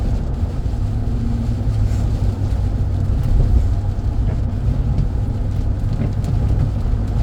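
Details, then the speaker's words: 2011 Chevy Silverado with 225,942 miles, test drive at steady speed in rain: only even road and rain roar, with no clunks, creaks or knocks from the suspension; brakes are solid with no grinding or vibration. "I don't hear any suspension noise. Brakes are good and solid, no grinding or vibration."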